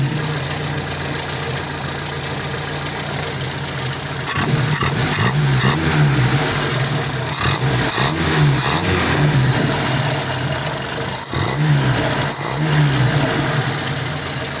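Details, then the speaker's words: Ford 100E four-cylinder running well, still on original points, condenser and plugs. Idles and blips evenly, revs rising and settling without stumbles or misfires: normal running. "yeah the underd is running well considering I haven't put new points in it and put a condenser in it and put new plugs in it these are all the original ones"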